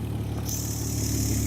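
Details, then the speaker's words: Mazda MX-3 with swapped KL 2.5L V6, Millenia intake and throttle body, after adjusting TPS, idle set screw and ignition timing: steady, even low idle hum, no misses or stumbles; idling about all right. "are idling about all right plenty of exhaust lease"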